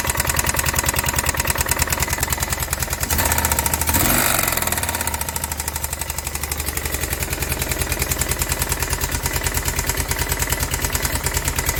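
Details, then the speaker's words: Kawasaki Prairie 360 4x4 ATV, damaged project machine; hard regular knock on every firing stroke at steady idle, lower-end knock, bad crank suspected but not confirmed. "all right well hop to dig into a further find out it still got some kind of a knock in it but prey is the crank"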